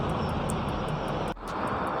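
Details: Hatari evaporative air cooler fan after the noisy squirrel-cage blower wheel, worn loose on the motor shaft, was replaced, run through speeds 1–4: a steady, even air rush that follows the speed setting, with no rubbing or rattle.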